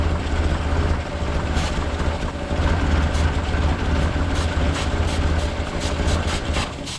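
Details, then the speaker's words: 1958 Lull telehandler/cherry picker parked 15 years, carburetor linkage seized and choke held closed: deep lumpy note surging and sagging, longest run yet, then dies; seems to need throttle, carburetor to be removed and cleaned. "why does it run so good and then just quit I've made the decision to pull this carburetor off take it apart clean it up"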